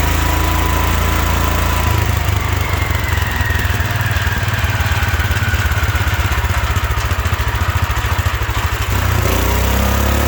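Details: 1972 Wheel Horse Raider 12 lawn tractor, stored 15 years in a shed: single-cylinder holds a loud steady high-pitched drone far above idle, never settling; owner thinks the governor isn't working, revving way too much.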